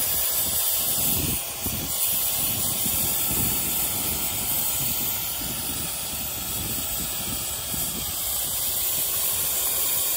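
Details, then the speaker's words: Gen 3 turbo LS drag car overheated on a test drive: loud continuous steam hiss with uneven spitting undertone from the hose off the heads that came off, spewing distilled water and Water Wetter coolant. "oh the line came off yep the line came off oh all that's all over the place now cuz the cooling got too hot"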